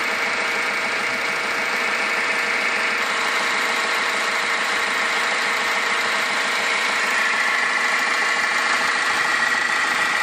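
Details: 2010 Toyota Yaris 1.4 D-4D diesel, 40,000 miles, at idle under the bonnet: thin steady high whir over diesel clatter from the alternator/tensioner/water pump area; new alternator didn't change it, tensioner next to check; cause unconfirmed.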